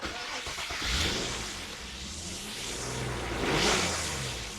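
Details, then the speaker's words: 2001 Nissan Maxima with a throttle position sensor code, after installing a new sensor and nudging its position; revs surge and sag with a ragged, lumpy note and the check engine light comes on; rough running from misadjusted throttle position sensor. "Made a minor adjustment to the throttle position sensor. Unbolted it. Moved it over a hair. Yeah, that doesn't sound good, does it? Not at all."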